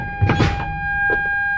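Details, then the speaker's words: Air-brake truck during a CDL leak down test, brakes pumped down to about 60 psi: a soft clunk, then a steady high-pitched low air pressure warning buzzer with the dash light on, working as it should. "That's it. We now have a brake light and we have a warning buzzer."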